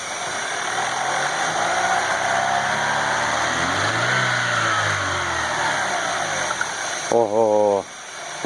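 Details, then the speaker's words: Chevrolet Aveo T250 engine being revved: clear hissing rush of an intake air leak with faint whistle rising over the running note; this vacuum leak is the cause of the whistling, not the timing belt or cam phasers. "Мы слышим, кстати, отчетливый звук подсоса воздуха. В этом-то, собственно говоря, вся и причина."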